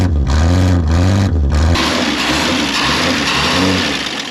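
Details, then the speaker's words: 1961 Ford Falcon wagon six, parked in the woods 38 years with a stuck engine and no oil, first revival: catches, revs up, settles into steady even run with no knocks or misses; good oil pressure, running normally. "that's great it was off came back on as soon as it started this thing's got good old pressure yeah [Music]"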